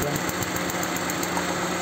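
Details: Petrol car engine idling with a quick, uneven pulsing beat and sporadic stumbles breaking the rhythm; idle misfire, cause undetermined.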